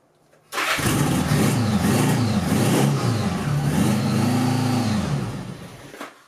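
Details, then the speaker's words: 1975 Honda GL1000 Goldwing interference engine after timing belt replacement, running on an aftermarket carb with belt covers on and radiator off: cranks, catches at once, steady even idle, revs cleanly and drops back; timing correct, normal start and run. "So it sounds like everything's working correctly and timed right."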